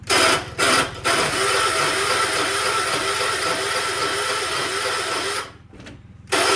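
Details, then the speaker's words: 1976 John Deere 300, battery on charger, owner suspects failing starter: harsh gritty grinding about twice a second while cranking, with pauses between tries and no catch; starter engagement sounds rough. "let's see if the John Deere will start. It's been on the charger, but I think my starter's going bad."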